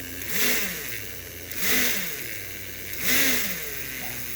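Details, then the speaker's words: Early-1960s Flyer Casey Jones model locomotive motor after upgrade (fields, smoke, linkage, digital reverse): smooth whirring revved up and down every second and a half, pitch rising and falling cleanly; responsive, healthy motor. "Now, I'm not saying that sounds like a 427, okay? But I had a 327 with a dunt-off cam and a Holly and headers, and it was 365 horse. And I think this is right there."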